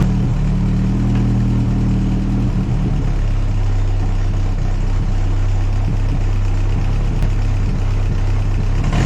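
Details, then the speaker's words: 1964 Jeep CJ5 four-cylinder, previously seized and freed up, now running: deep, even rumble holding steady with no knocks, misses or surging, though still smoking; runs impressively smooth after being a locked-up engine. "this is unbelievable from being being a locked up hunk of scrap IR to running that smooth that quickly is impressive"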